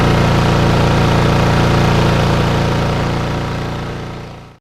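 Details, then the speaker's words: Lawnmower with RV 150 engine and Briggs airbox, running after reassembly: even, rapid single-cylinder putter at steady speed with no misses or surging, then dies away cleanly; runs right. "so long one number five is now up and running and working exactly how it should be"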